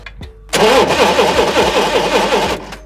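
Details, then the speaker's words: Forklift ignition system, crank no-start: starter cranks evenly for about two seconds with steady compression chuffs but never fires; spark tester clipped straight onto the spark plug shows no spark there either. "no spark there either that's a bit weird Okay so we're not getting any spark there which is not good"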